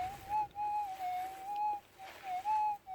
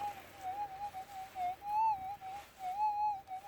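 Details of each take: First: Minelab GPZ 7000 in manual ground balance mode over a 3 gram gold nugget. A clear mid-pitched tone swells about once a second, with the negative threshold heard clearly: a normal, readable target response. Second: Minelab GPZ 7000 gold detector in auto ground balance mode during small nugget test: wavering high warble near 800 Hz, rising and falling unevenly over quiet threshold; electromagnetic interference, not the target.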